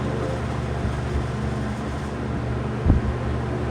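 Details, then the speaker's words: Vintage Toastmaster 20-inch faux wood box fan, banana blades, on medium: steady low hum and airy rush, stable on the table; the slight rattle is only the grill. "decent Breeze but that rattle is that sound or humies is really just a grill medium and it's pretty stable it's not moving all over the table here"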